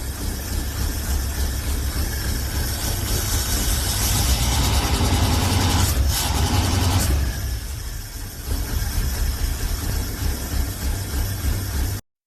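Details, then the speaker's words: V8 hot rod idles low and lopes unevenly with irregular stumbling, then sags and dies. The owner thinks it is firing on only about 6 of 8 cylinders; misfire suspected, not yet checked. "It sounds like shit right now. I think it's firing like on 6 cylinders. There, it died. So I think we have a misfire here."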